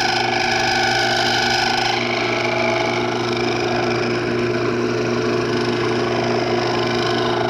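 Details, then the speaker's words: Wood lathe turning an old barbed-wire fatwood piece, thinning the stem: steady motor hum under rough buzzing chatter as the tool cuts; lathe tool chatter. "by the way in this area here coming down this way there's a lot of chatter so I'm going to let you hear the chatter"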